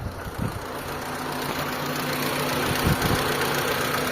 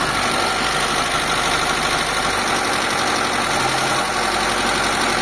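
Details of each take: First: Mitsubishi Lancer 4G13 carburettor engine, previously noisy and hard starting, after new timing belt set, adjustment and fuel filter: petrol engine idles with a steady, even hum, no knocking or tapping; now quiet, normal idle. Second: Mitsubishi Lancer "pizza" 4G13 carbureted petrol engine, noisy and hard to start: it idles fast and loud with busy top-end clatter because the carburetor is sticking and holding the idle up.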